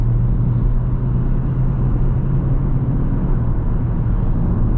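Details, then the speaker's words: Ford Focus after an error code was cleared, accelerating toward the motorway: a steady road rumble builds evenly with no clunks, slip or flare; the gear change is smooth, the power is enough and there are no error messages. "it works as it should look it drives normal no error messages no problems at all it's got enough power the gear change is smooth"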